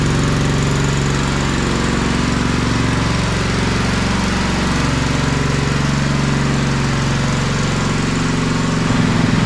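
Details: Kohler Command 16.5 hp on a Craftsman riding mower, long-sitting, hydraulic lifters slightly tappy at first, running outside burning junk off the muffler: steady even note, no knocks, misses or hunting; normal idle.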